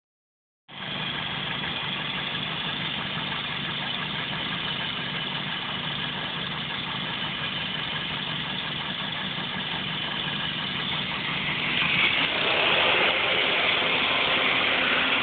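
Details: 2001 Toyota Celica GT idling with a loud airy hiss over a steady pulse; owner unsure whether it is a vacuum leak or a head gasket leak.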